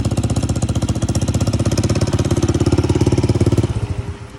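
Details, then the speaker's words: 150cc single-cylinder bike, quick even thumping beat, steady then easing off, no knocks or grinding; runs fine. "Yes sir. So, yo, it's running good? It's running good? Yeah, buddy."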